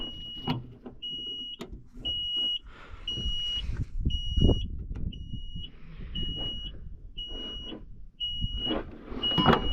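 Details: John Deere 310G backhoe stuck in park, switch being turned off after park brake on test while probing relay circuit (12 V present): regular high-pitched beeps about once a second over quiet handling noise; park brake warning alarm sounding.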